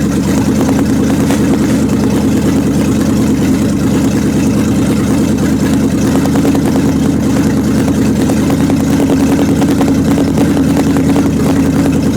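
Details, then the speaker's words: 1929 Chrysler with 360 V8 and cleaned-up 727 TorqueFlite, jacked up, cold, manually in reverse after topping up low fluid; steady V8 rumble under load with low churning torque converter drone as brakes slow wheels; owner suspects gummed-up valve body. "brakes are slowing it down a little now and I can hear the torque converter"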